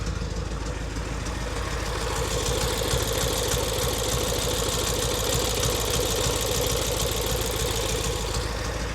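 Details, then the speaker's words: BMW E70 X5M, 4.4 litre V8, 83,000 miles, salvage auction car, at start idle: uneven, lumpy beat with irregular stumbles under mechanical clatter, smells really rich, clearly misfiring; no knocking. "And we can hear it ain't happy. So it smells really rich. It's clearly misfiring."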